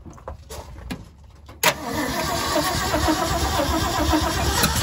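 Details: Freshly rebuilt truck engine (Project Frankenstein), start after new carburetor fuel filter fitted: cranks, catches and holds a fast, steady idle, too high because the throttle linkage is set too far open; after adjustment it idles better.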